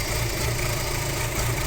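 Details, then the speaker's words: Audi A4 B6 2.0 ALT engine at cold idle: uneven, lumpy shake with dull knocks. Happens only when cold and improves when warm. Owner suspects the cam phaser or a broken-tooth timing chain, maybe the lambda sensor; engine to be opened. "Ну, слышно удары. Это надо. Очень неприятная такая ситуация."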